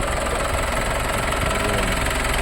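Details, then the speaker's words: 2017 Mitsubishi Strada GLS A/T diesel, engine still new, warm from use: even, steady diesel clatter at idle after start, no misses, surging or odd knocks; normal, no leaks. "Okay, guys. Ito yung tunog niya kapag nag-start na. So, yun. Yan yung phone niya. Napaka-normal."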